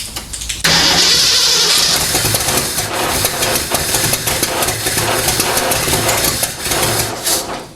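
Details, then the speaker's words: Freshly built AMC 304 V8 in a 1979 AMC AMX at first start: it catches abruptly, then runs ragged and uneven with stumbling pulses. Owner suspects ignition timing. "i'm gonna have to double check my timing because that was horrible"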